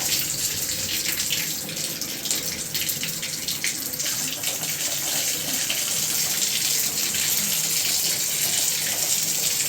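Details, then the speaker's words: Second-story tap after water shut-off and turned back on halfway, cold and hot: rushing flow with irregular spitting and surging as trapped air purges from the supply lines. "You can hear the air in it."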